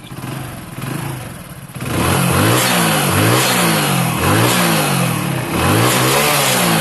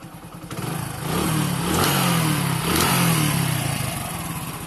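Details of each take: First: Hero Honda bike after reassembly fix (engine had a clattering knock on acceleration): repeated rev blips rise and fall cleanly with no knock on the exhaust note; normal engine revving. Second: Hero Honda bike: as it accelerates, a rattling clatter rides over the engine note and follows the throttle, traced to a loose flywheel nut.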